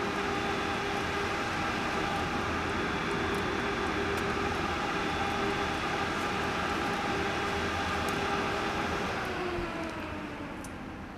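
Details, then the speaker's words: 2.5-inch 500 GB two-head Toshiba hard drive with a head assembly from a second donor drive fitted. Sharp clicks about four per second over a steady motor hum, same as with the first donor; the donor heads don't match. "the drive is making same sounds that it was with the head assembly that was used out of this drive the first donor and that's what it sounds like"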